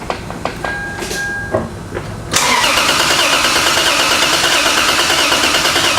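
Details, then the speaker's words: Lexus IS300 parts car, immobilizer suspected, wire run directly to fuel pump: fuel pump heard coming on, starter churns engine at a steady three-per-second beat but it never catches; cranks without starting. "all right well we can definitely hear the fuel pump come on so that's working just want it to run"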